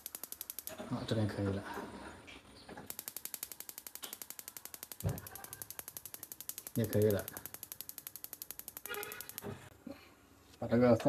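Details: Shuaikang gas stove after repairing the broken, rusted battery-box contact with a soldered metal strip: crisp, evenly spaced igniter ticks about three to four per second with gas catching between; igniter sparks normally.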